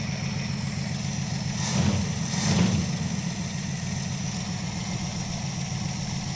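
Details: Crew cab Charger engine, started after a spin prime test, timing not yet set: steady low idle with a light, quick ticking riding over it and no rise in revs; lifter tick still present.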